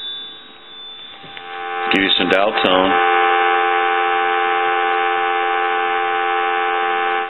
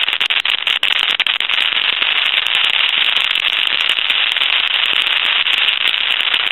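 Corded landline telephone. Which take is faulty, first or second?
second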